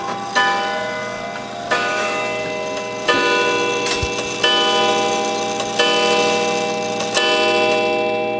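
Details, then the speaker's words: Gilbert 1913 count-wheel clock movement: slow bell strikes about 1.4 seconds apart over a steady tick. The count wheel lever was flipped and a count wheel is not self-adjusting, so the hour strike is off from the hands, likely striking 9 instead of 8. "Now the hour strike is going to be off because I had flipped that lever in the back. It's a count wheel and not a snail, so it's not self-adjusting. So it's probably going to do 9 o'clock instead of 8 o'clock."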